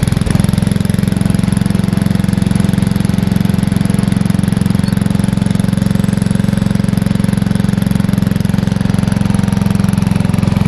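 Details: Free riding lawnmower: a steady low putter of about 220 firing pulses a minute, even and unbroken for ten seconds; engine running smoothly and healthy.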